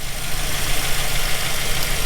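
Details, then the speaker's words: 2007 Chevy Silverado 1500 5.3 V8 just restarted after replacing a failed lifter on cylinder 4 (P0304/P0300 misfire): steady, even low idle rumble with no tapping or knocking, smoothing out as it warms and lifters pump up. "starting to smooth right out look at that guys now you're going to have some ticking and stuff for a couple seconds it's going to don't freak out"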